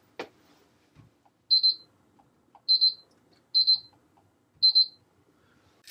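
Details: Honeywell alarm panel with auto bypass enabled: four crisp high double-beeps about a second apart. The panel goes straight into arming with faulted zones bypassed and no bypass prompt.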